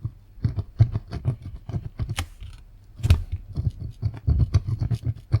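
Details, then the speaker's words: i-Joy Xtreme Sound soundbar bass speaker previously repaired with glue: irregular dry scratches when the cone is pushed, suspected voice coil rubbing, not confirmed. The speaker was to be replaced with a genuine part. "Yeah, that scratchy noise. So that's probably what's making the horrible sound."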